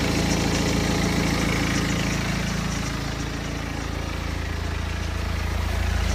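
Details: BMW 120d, N47 diesel, 125,000 km, cold idle: a steady clatter with a light, regular rattle underneath, clearly audible in cold weather; timing chain noise suspected, not confirmed.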